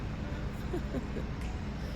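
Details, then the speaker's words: Car that previously would not start, only ticking, idling after the owner's husband repaired it: low, quiet, even rumble with no knocks, misses or squeals. The engine is running normally. "He fixed my car. Look, it's working. We back in business. Y'all hear the engine running?"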